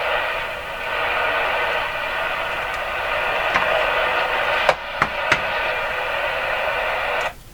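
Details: RCA Victor Model 911KG radio on the AM band after alignment, on an external antenna: steady hiss and static with a few sharp crackles; noisy reception, suspected problem with the antenna plug or wire.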